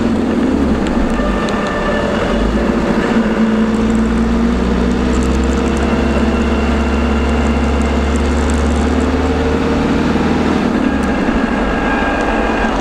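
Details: LT230 transfer case heard with sound proofing fitted: road drone while driving with a faint tonal whine wandering in pitch with road speed, most likely transfer box whine.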